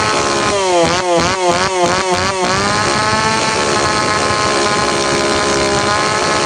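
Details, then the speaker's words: Tanaka PowerMate PMS340 two-stroke pruning saw, cold engine, test run after repairing a failed fuel delivery system that kept it from revving up; quick blips sweeping up and down, then a steady high buzz, revving freely. "ตอนมาเครื่องเร่งไม่ขึ้นครับปรากฏว่าระบบจ่ายน้ำมันล้มเหลวซ่อมเรียบร้อยแล้วมาทดสอบกัน"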